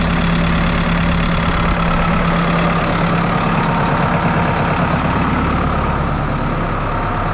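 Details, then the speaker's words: New Holland 6610S tractor, 5.0 L Genesis four-cylinder diesel after head gasket and valve job, fuel system primed: even idle with deep steady rumble, no knocks, misses or hunting, no radiator bubbles; healthy. "But it sounds good, it's running good. Don't see any bubbles in the radiator, so that's a good start."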